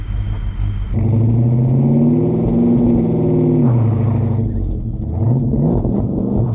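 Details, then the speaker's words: Ford XF Falcon ute 351C V8, 4-speed Top Loader, donor car first start, running nearly out of fuel with timing needing setting; revs about three seconds then hangs around 3000 rpm and drops back, not reaching full RPM. "all right so there's definitely timing needs to be done I'm getting about 3000 RPM and as I said before it's running basically on empty so it's not getting full RPM"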